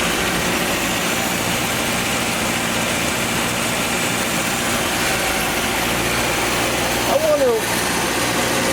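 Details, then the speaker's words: 1982 Nissan 720 King Cab mini truck, sat many years, new carburetor fitted, electric choke on, cold first start; steady even idle hum, no misses or knocks, no smoke; normal idle. "everywhere this thing is quiet electric choke is on we'll leave it on for a little bit i don't see any smoke man this thing is idling"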